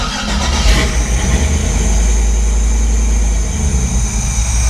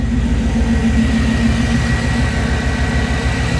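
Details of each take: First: Chevy C10 with LS swap on ACES Jackpot 2 fuel injection, first start, untuned; loud, lumpy V8 running very rich and smoking, sounds like a vacuum leak, then stumbles and dies; owner wonders if fuel pressure is too high. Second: Chevy C10 with LS swap and Jackpot 2 fuel injection, first start, ECU still learning toward operating temperature, new exhaust: steady, even V8 idle, smooth low rumble, no knocks or ticks; engine healthy.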